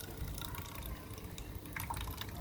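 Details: G-power automatic water dispenser after repair, pump previously silent, cleaned and reassembled, pump sitting in water bottle: small pump hums steadily as water gushes into the bottle; pump now delivering water normally.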